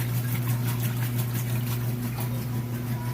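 Steady low hum with rhythmic water swishing about three times a second, even and unbroken; the agitation cycle sounds healthy.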